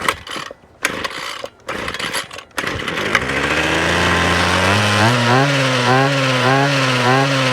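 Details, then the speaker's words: Six-year-old Ryobi two-stroke weed whip that hadn't run and had been sitting a long time sputters, then surges and sags on half choke and won't stay running; fuel cap leaks gas; owner suspects spark plug, carburetor or pickup tube. "I'm saying it probably needs a new spark plug too. Yeah, it doesn't want to run."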